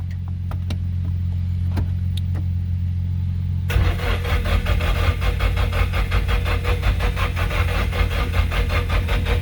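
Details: Nissan 240SX S14 SR20DET after engine rebuild, jump-started from another Nissan, injectors reseated: quick steady starter chuff with an odd pop, never catches; no start because cam angle sensor timing is off.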